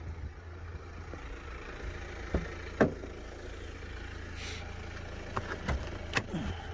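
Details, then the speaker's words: BMW 318d E91 Touring diesel, about 160,000 miles, recorded under the open bonnet: smooth low idle hum under a few handling clunks, no ticking or timing-chain rattle; normal diesel idle. "but you can see in here this runs absolutely fine there's no ticking move away you can hear me there's no ticking there's no sounding of that timing chain problem"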